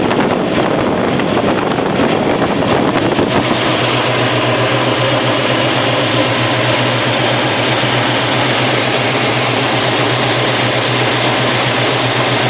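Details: Rebuilt Chevy 350 V8 idling with timing at full advance (36°): loud, steady rumble with no knocks or misses, yet idle vacuum stays low at 15 inches; cause unclear.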